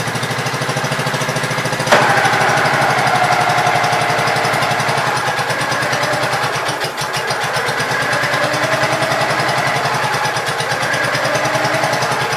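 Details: Gravely Pro 12 single-cylinder, choke on, just above idle: steady even putter, regular firing, no knock or miss; mower deck not turning easily; engine normal.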